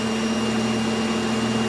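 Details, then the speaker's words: 50-ton rig tail-out winch extending the stinger during rig-up: steady, even hum with constant pitch, no knocking or surging; winch now much smoother, perhaps slightly slower. "the tail out wiench is now much smoother it might be a bit slower but it is much smoother on extending the stinger"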